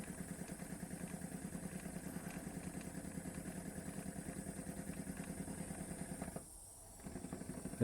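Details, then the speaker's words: Wilesco D455 toy steam engine, tablet-fired, reversed direction: quick even light chuffing, no knocks or hesitation, runs either way straight away; normal running in reverse. "goes the other way. straight away. Left, right. Don't matter which way you go."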